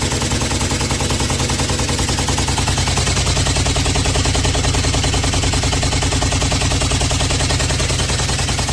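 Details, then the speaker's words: GEDTECH GLL71200WH 7 kg 1400 rpm front-loading washer, machine shaking: fast steady hammering knocks about one and a half per second, very noisy; owner removing four transit bolts, machine also errors and leaks water. "Elle est trop bruit."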